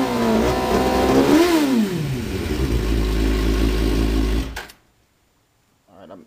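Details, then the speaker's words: Engine that previously cut out past 8,000 rpm, idle fuel pressure 43 psi dropping while driving, fuel delivery test failed, owner suspects fuel pump: note climbs smoothly through a sharp rev, holds high steady pitch without cutting, then shuts off; revving to redline. "it's revving how it should rev right now which is confusing me uh yeah earlier today and previously I couldn't rev past 8,000 RP PM without it um cutting off"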